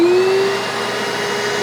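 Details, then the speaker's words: Bissell Little Green 1400 portable carpet spot cleaner, suction motor switched on: spins up to a smooth steady high whine that holds, no grinding or rattle; normal suction motor. "So I'm gonna spray the solution, and then it's got these nice bristle brushes for kind of scrubbing, and it's gonna be scrubbing and sucking at the same time."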